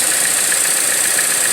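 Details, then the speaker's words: 2014 Chevrolet Cruze LTZ at idle, with misfires and a whistle from the top of the engine: a steady, high-pitched hiss. It is a vacuum leak past a leaking PCV valve in the valve cover, and the fix is to replace the damaged valve cover. "un problema que a través de vehículo trae como un silbido en la parte de arriba del motor"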